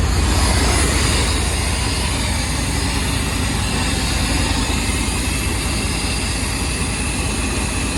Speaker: Sound pretty even now. Think I did the job.